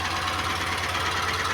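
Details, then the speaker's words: Renault Clio petrol engine running with uneven, lumpy misfire and light ticking on top; a bent valve is not sealing, so the cylinder head must come off and go to machine shop. "ele tem uma falha lá dentro dele ele tem a questão dessa ferramenta de válvula aí tá bom vamos ter que que abriram o cabeçote aí e mandar para retífica tá"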